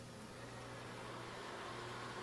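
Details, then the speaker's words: VEWIOR air purifier, received 2022, being repaired and run without a filter: a steady soft airy whoosh with a constant low hum and no rattle or scraping, a normal fan while the sensor settles. "now it sounds like a fan now it sounds like a fan so we got to just wait for the sensor to uh sense things"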